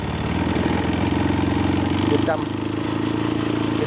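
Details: Honda Wave 125S that starts easily but won't rev, with a new spark plug and a carb already cleaned: it idles steadily, then a throttle blip barely climbs and stumbles back down; the cracked carburetor choke is at fault.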